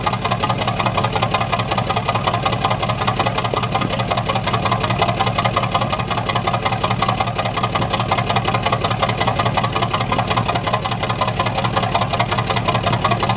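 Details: Truck at idle, exhaust: lumpy note with a regular stumble about twice a second breaking the even beat; misfire.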